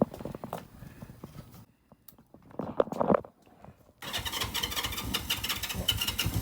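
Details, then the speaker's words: 1972 Honda CL350 K4 twin, original 7,600 miles, parked for decades, carbs sonically cleaned with new needle valves: a few cranking attempts, then catches and settles into a steady even burble with no knocks or misses; normal running. "So, does it run? Of course it runs."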